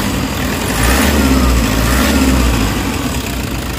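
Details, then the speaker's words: Toyota Hiace diesel with throttle delay, low power, weak on climbs, occasional stalling, code P0093, before treatment: revs rise slowly over about a second and fall back lazily; sluggish response, short of power. "Ay, very, ano, throttle delay, guys. Ano, low power."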